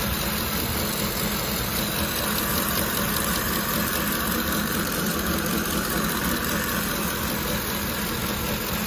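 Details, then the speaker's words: Ford engine with bank 1 and 2 rich codes and a hacked timing job, warm idle, heard at the valve cover: steady, coarse buzz, slightly laboring, worsening as it heats up; cause suspected, not confirmed. "it only gets worse as the vehicle heats up so you'll really hear it buzzing from here so that's obviously a concern"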